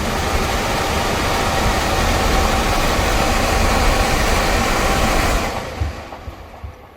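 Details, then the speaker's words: HVAC furnace blower after blower wheel replacement for a screeching noise: smooth even rush of air, no scraping or squeal, clean spin-down when switched off; normal blower operation. "hear that runs well no horrible noise so now I'm just gonna power this down and reassemble it"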